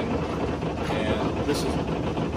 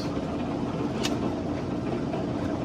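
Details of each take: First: 2003 Hunter 306 sailboat engine in forward gear at about 1500 rpm: a steady diesel drone with dense buzzy chatter from loose lids rattling under engine vibration. This is not an ideal rpm; it runs happier near 2000 rpm. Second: 2003 Hunter 306 sailboat's diesel running in forward gear under way at about 2000 rpm: an even, steady drone, not terribly loud, no rattles (lids rattled at 1500 rpm). Engine is due for an oil change, impeller and injectors. Normal diesel running.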